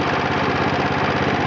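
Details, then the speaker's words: 1966 John Deere 110 garden tractor, 8 hp Kohler single-cylinder, oil not yet changed after sitting, idling: steady even beat with faint light valve ticking on top. "And you can hear the valves ticking a little bit, but"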